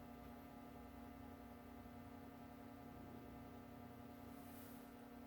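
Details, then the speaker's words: 1937 Westinghouse WR-212 broadcast/shortwave radio, first power-up on a variac at about 90–100 volts through an Electro-Voice speaker: faint, steady low hum, no crackle or pops; audio stage working normally. "here in a very very tiny home in that speaker that's actually good tells me the audio is working"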